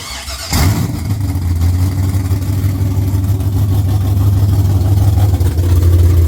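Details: LS-swapped Chevrolet C10, first start after sitting 3 years, running a Holley Terminator X with fuel pressure set to about 45 psi: a short crank catches immediately, then a deep, steady V8 idle; starts and runs healthy.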